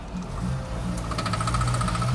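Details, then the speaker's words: 2000 Fiat Panda Young 900ie, engine warm, pulling away: a quick, rapid knocking over the engine drone. It occurs at pull-away, under load in high gears, and also in second. CV joints are new, gearbox oil is full, and it is quiet when cold. "evidente questo rumore avete sentito ma lo fa solo in partenza o con le marce alte"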